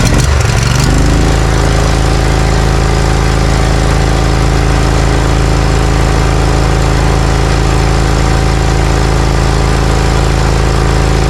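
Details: Briggs & Stratton Vanguard 20 HP V-twin zero-turn mower that lost power and popped when hot, started after a new part and plug boot were fitted: it catches within a second, then holds a steady, even low drum with no misses or surges, running cleanly.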